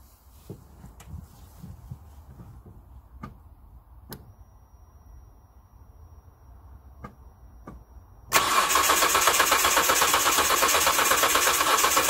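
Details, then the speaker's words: 2005 Hyundai Santa Fe 2.7 V6 (SM), after new in-tank fuel filter and fuel pressure regulator and priming: hard start needing start fluid and a few cuffs, quiet clicks then engine catches suddenly into a loud, steady run without stumbling. "well i missed the exact moment but it started i had to use a bit of uh my magic start fluid which is very cleaner um it took a few cuffs but it's fired up and it's running"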